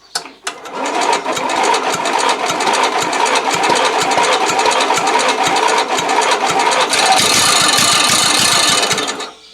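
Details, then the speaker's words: Replacement small engine with the carburettor float and needle stuck by old fuel and then freed; uneven pops and brief catches that never settle into a run; fuel arriving but lacks throttle, intermittent firing. "Là on entend clairement que le moteur il veut y aller Il y a de l'essence qui arrive mais ça manquerait un petit peu de gaz pour y aller"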